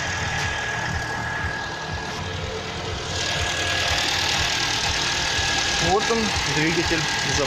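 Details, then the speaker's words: Freshly overhauled engine on its first start: it catches first time, the oil pressure light goes out, and it settles into a steady, even idle with no knocking or misfire, a normal healthy start. "запустился с первого раза. Давление потухло. Мотор работает."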